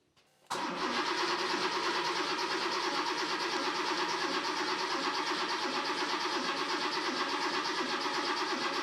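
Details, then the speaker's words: Porsche 911 Carrera first start after engine teardown and cylinder head rebuild: steady even starter cranking about three turns a second with no firing; the new crank reference and mark sensor connectors were swapped, and after switching them it ran. "Nope, it doesn't sound like it is firing. Okay, I've just switched the crank and mark sensors, so let's see if that does it."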